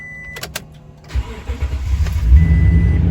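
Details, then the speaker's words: 2018 Toyota Tundra flex-fuel, cold start at 30 °F, second day after a fuel change to cure long cranking; under a second of crank, fires cleanly to steady idle, healthy start. "man started right up so I hope you can see that there it's actually dropped to 30° fah no trouble cranking"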